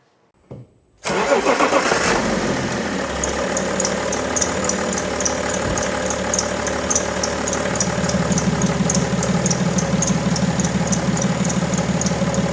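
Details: BMW E90 325d/330d M57 diesel, cold start, idling with a sharp, high chirp repeating about three times a second from the accessory belt; belt chirp at idle.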